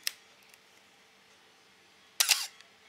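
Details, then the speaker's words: Camera shutter heard after oiling: a sharp click, then a longer high-pitched actuation with a faint squeak, compared against the earlier squeak; the shutter squeak is fixed by a little oil, though possibly over-oiled. "Squeak sound. Now you can listen to the sound here. That's the difference. This is after oiling the camera."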